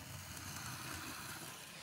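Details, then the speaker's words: Brand-new, not yet run-in Bachmann SECR N class model loco running fast: loud, rough whirring clatter, far noisier than it should be, likely from the lack of proper bearings. "Man, that is noisy. Again, the lack of proper bearings there probably is responsible for that noise."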